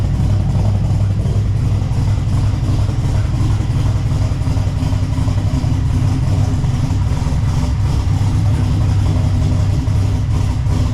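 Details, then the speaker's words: LS1-swapped Subaru BRZ with new Michigan Motorsports Stage 3 drift cam, untuned, first start after install, warming up: deep, choppy idle loping unevenly a few times a second, low rumble; normal lope for the aggressive cam. "After it warms up a little bit, it starts to really chop and you can hear it."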